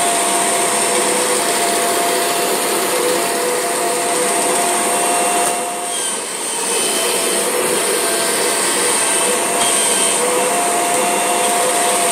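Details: Kirby G6 vacuum with the belt lifted: loud, steady, high-pitched motor roar with thin steady tones and a brief dip midway. Unusual motor noise, cause unclear.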